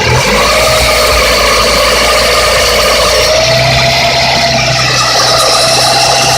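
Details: Lada 21126 engine idling warm with a fast, light metallic tapping, suspected piston knock (STK pistons). The knock is very loud cold and quieter warm, not audible in the cabin; the owner plans to disassemble to find the cause.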